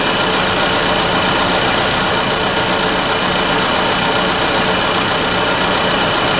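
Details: 2001 GMC Sonoma 2.2L with replaced engine, idling after coolant leak repair to check for drips: steady, even idle under heavy fan and hiss noise, no ticking, knocking or hunting; normal healthy idle.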